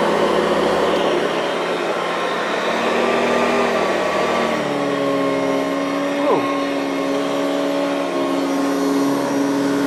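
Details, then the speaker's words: Vintage Hoover Decade 80 upright vacuum after motor repair and bearing greasing: steady, even motor hum with a smooth whir that settles after start-up, no grinding or rattle; runs normally, expected to improve with use. "that sounds good not the best but it's good enough uh that'll probably get better with a little bit of use"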